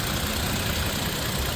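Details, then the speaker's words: Third-gen Toyota Tacoma after an Amsoil oil and filter change, fully hot after a 20-minute freeway drive at 80 mph: smooth, even idle with a steady low rumble, no ticking or knocking, quieter than traffic. Normal hot idle. "It sounds beautiful. Um, I'm I'm extremely satisfied. This is cool, guys. Um, change your oil to Amsoil and uh get an Amsoil filter. I highly recommend it. So, whisper quiet. Traffic is louder than the engine."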